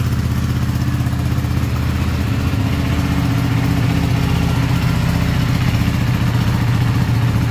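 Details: Ducati 959 Panigale race bike with a crank-no-start and misfire fault, started on a low battery after a part was cleaned as an experiment. The twin fires and holds a steady, even idle of about four pulses a second with no stumbling, running normally.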